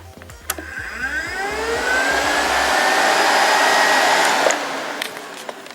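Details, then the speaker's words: Car electric cooling fan test-wired with power looped to it, powered when battery terminal connected: steady whooshing whir spins up, holds a few seconds, winds down smoothly; fan works normally. "like that we hear the fan come on"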